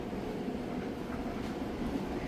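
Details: Whirlpool electric dryer (matching set with a Whirlpool direct-drive top-load washer), heating element hot, drum running: quiet, steady low rumble with soft even tumbling, no knocks, squeals or scraping; normal drum tumbling.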